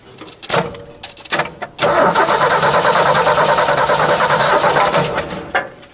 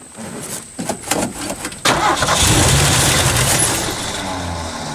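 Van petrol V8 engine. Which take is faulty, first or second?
second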